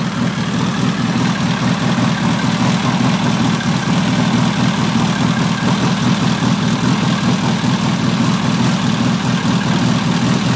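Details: VW stroker engine, Nology ignition, points reset from 0.002 to 0.018 and tightened, distributor locked down, compression 180 psi, instant start: steady, even exhaust beat at slightly raised idle, no knocks, misses or ticking; healthy idle.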